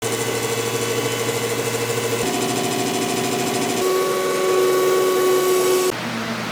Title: Weird noise in a gear pump